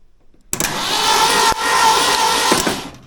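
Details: Old Ford F100 bumpside truck being brought back to run, first attempts with only the minimum parts connected: steady whirring crank for about two seconds with a brief dip and no firing, starter spinning the engine over normally.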